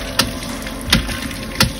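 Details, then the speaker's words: Dosatron D07 dosing pump tested on tap water pressure, sharp even tick about every 0.7 seconds over steady water hiss as each stroke draws liquid in; normal operation. "We can see, you can hear it tapping. As it ticks each time, that's as it's sucking the chemical through into the mixture and mixing it."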